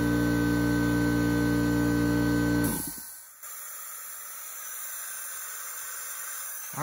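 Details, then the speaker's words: Craftsman 919.165200 5 hp oil-free compressor after bad capacitor replaced and 220 V wiring corrected: steady motor drone cuts off just over 100 psi, then faint continuous hiss lingers as air leaks at the regulator. "uh regulator leaks so that'll have to be something i fix"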